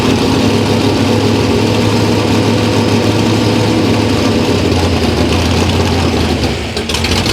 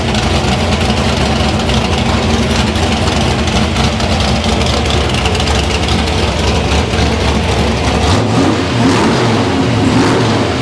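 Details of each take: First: Loud, lumpy V8 idle that stumbles and dips near the end: a cold 327 small-block Chevy (about 360 hp, smaller cam) running rough from a faulty carburetor while jets and float level are being adjusted. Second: Deep, even V8 rumble pulling cleanly through repeated blips and settling back without stumbles or pops with a working carburetor; the engine runs healthy.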